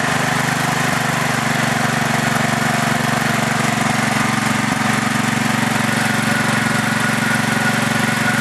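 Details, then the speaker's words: Craftsman LT4000 lawn tractor idling, then shut off: light regular tick about three times a second over the engine; owner suspects valves, not certain. "that was me shutting it off i think that noise is the uh valves i'm not 100 sure"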